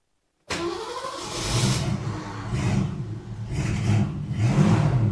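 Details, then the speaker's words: 1973 Ford Maverick stored five years, carburetted, near-empty fuel, with a new starter fitted after wear on the new flywheel: starter engages cleanly, engine catches and revs, a bit rough and choking; normal cranking and start. "Because now I have the new starter in. I've got the battery hooked up. Uh the car is ready to fire"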